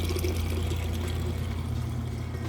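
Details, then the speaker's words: Maytag top-load washer with the lid switch bypassed, moving from wash into drain and spin: deep, steady pump hum with water gushing out strongly and evenly, no gurgling stalls or grinding; drain pump working normally. "Okay, we're moving out of the wash cycle into the drain and spin portion. You can hear it draining the water out nice and"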